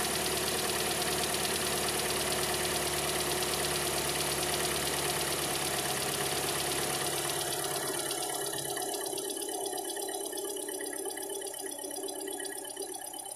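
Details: Kia Sportage 4 engine at idle: steady light knock about three per second riding over the idle until shutoff; engine knock, cause not stated.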